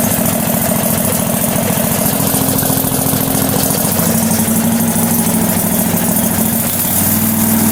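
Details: Struck Magnatrac MT2000 with a newly fitted Predator 670 22 hp twin-cylinder engine, first start: steady, lumpy V-twin beat at a settled idle with no knocks, misses or rattles; the engine sounds healthy.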